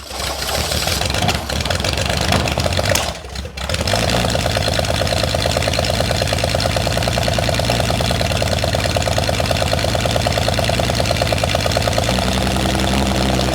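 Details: Holden red motor 173 ci (2.8 L) six, about 1971, ex-Bedford CF van, first run after years laid up: cranks, catches after a brief stumble, then settles to an even, steady idle with smooth low beat.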